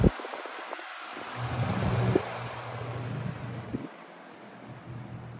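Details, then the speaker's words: Lasco PSC box fan motor on low speed, about 0.69 A, 61 W, power factor 0.72: soft steady low hum with no rattle or scraping; smooth healthy run, very good low speed though inefficient. "That's actually a very beautiful low speed. We're at 69 amps. Nice. 61 watts. And the power factor is still 72. Not very efficient. As you can see, this low speed is amazing."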